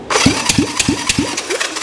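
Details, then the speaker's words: A Honda CB450 Black Bomber (1965 or 1967, both stated) with a new engine gets a thumb-over-the-plug-hole compression test, cranked on the starter from a jump box. Strong, even puffs about three a second show good, solid compression. "that sounds pretty good and then let's check this one thumb Over the Hole guys that sounds pretty good that sounds way better than most of the stuff I drag here and it had a really good uh solid compression"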